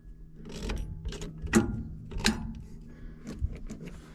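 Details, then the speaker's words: John Deere 890 excavator, on key turn: scattered single solenoid clicks with no cranking, starter not turning. "you can hear it clicking on a solenoid but I don't hear it starting"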